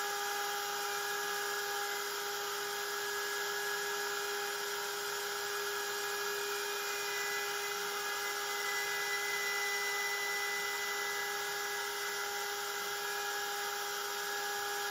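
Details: Genmitsu 3030 PROVer Max desktop CNC with Makita 1.25HP router pocketing aluminium after the stock 300W spindle: steady high-pitched whine, clean cutting hiss, no chatter or stutter; smooth, stable cut, square measured 19.97 mm.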